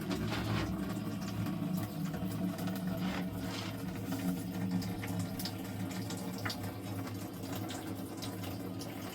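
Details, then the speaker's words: Well pump kept inside garage, starting as water is turned on slowly, pressure tank at half pressure; steady low hum with water rushing through the line, even and unbroken; start-up surges watched on gauge, normal well pump running. "you'll probably hear the water come on here in a second there we go now keep your eye on that"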